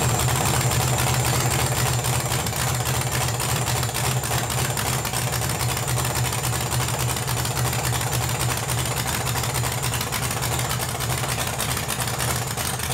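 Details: LS-swapped Chevy S-10 burnout truck, first start-up, 30 psi fuel pressure: loud, lumpy V8 idle through open headers, steady, no knocks or rattles; normal idle, though small leaks and no coolant flow noted.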